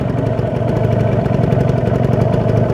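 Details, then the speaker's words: Kawasaki Ninja 150 RR two-stroke, rarely ridden, warming up on a stock exhaust and holding a normal 1000 rpm idle. A steady, fast, even two-stroke burble with no knocks or rattles; the engine sounds smooth and healthy. "Hai ini adalah suara mesinnya suaranya masih Oh ya terdengar jelas suaranya masih adem"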